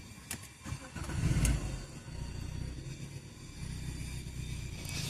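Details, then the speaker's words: Lancia Y 1.4 with Bosch ME7.3H4 ECU, no-start with yellow lock and immobilizer fault U1600, after immobilizer disabled in the ECU: brief cranking, then it catches and idles steadily; starts normally, one warning light remains lit. "Μπαίνει μπρος και έχουμε απλά ένα λαμπάκι αναμένο."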